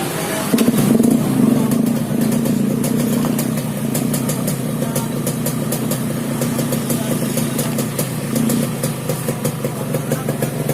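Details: Yamaha RX-King two-stroke single revs up and settles back with a coarse, uneven rattling snore over the exhaust, cause not pinned down.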